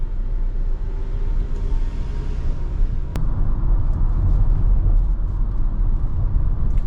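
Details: Ford Transit van on a pre-purchase road test from the dealership, AC turned down, fuel near empty: even engine drone under road rumble while cruising, no knocks, clunks or whines. The drivetrain sounds healthy.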